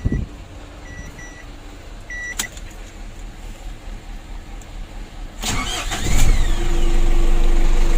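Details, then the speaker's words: Ford Ranger 2.5 diesel with long cranking and hard starting on cold mornings, fixed by servicing the dirty starter motor; glow plugs checked good: quick crank, catches at once, steady even idle; normal easy start after repair. "Nah ini untuk hidup mesinnya sudah mudah, sudah aman ya."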